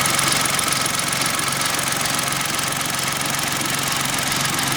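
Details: Kia engine at idle after an oil and filter change and degreasing, microphone preamp turned up: a sharp, regular tapping knock at about 220 per minute, holding steady; a definite engine knock, source not pinned down.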